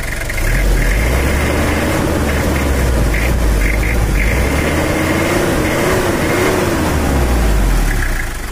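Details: Toyota Kijang LGX diesel after cylinder head service and valve adjustment, previously with a thumping knock and coolant loss: even, steady diesel clatter at idle with a firm low beat and no stumbles; normal idle after adjustment.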